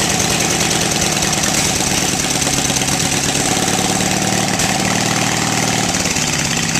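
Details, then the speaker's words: 18 HP Briggs & Stratton opposed twin off a Craftsman mower, electronic ignition, cast iron, first startup on choke before Terra Jet install; loud even steady exhaust beat, no misses or knocks; normal running. "run now to me that's music to my ears an engine you crank it twice and it starts and runs"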